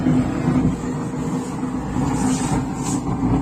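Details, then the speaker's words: Zebronics home theatre (220-240V AC, 50Hz) with nothing playing: steady low buzzing rumble from the bass speaker even with volume turned down, where it should be silent. "इस तरह की आवाज आ रही है आप देख सकते हैं ठीक है और यहां पर ब्लूटूथ भी है जबकि दोस्तों बिल्कुल इसे साइलेंट रहना चाहिए था यहां पर साइलेंट नहीं है"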